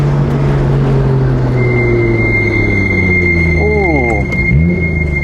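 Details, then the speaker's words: Nissan R32 GTR on new BBS wheels with coilovers: steady high-pitched brake squeal during a gentle stop, now every stop; pads still full, owner wonders if dirty, cause unconfirmed. "Like they used to squeak a little bit, but now it's like every single time when I come to a stop sign or a stop light and I hit the brakes, they start squeaking."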